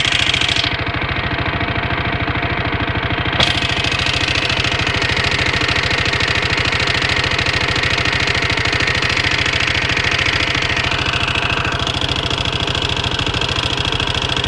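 Small engine idling with a fast, fairly even ticking around two to three per second and a faint tone; odd noise, cause unknown.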